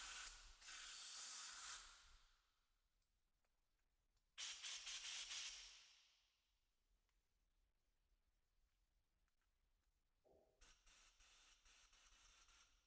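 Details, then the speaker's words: 1975 Yamaha TY250 trials bike carburetor, pilot circuit blown with compressed air during cleaning; two strong, clean bursts of air hiss pass freely, flowing nicely; clear carburetor pilot circuit. "And that's our this is our pilot circuit here. And with compressed air you can hear that it's it's actually flowing nicely. So I think we're going to be good to go there."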